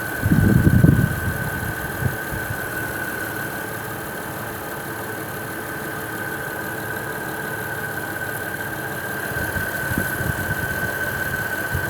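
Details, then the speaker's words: Honda Odyssey/Caravan after DIY splice repair of a rusted leaking rear AC line, recharging at idle: steady idle with a constant high whine and a brief low thump as the AC compressor clutch engages while the system fills. "you will hear the compressor engage as soon as it starts to fill up"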